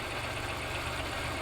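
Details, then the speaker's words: 1992 Oldsmobile 98 3.8L: a short rev brings a dull knocking clunk back as revs rise, confirming a bad harmonic balancer. "with higher RPM. See that guys? So, this pretty much tells us it it is a harmonic balancer, guys."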